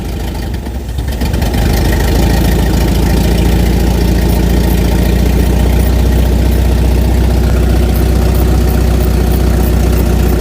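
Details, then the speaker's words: Volvo 740, revived after about 20 years off the road, restarted after tightening the throttle rubber boot: settles into a steady, even idle with a smooth low beat and no knocks or misses; running sweetly. "Hope this is it cuz it was idling."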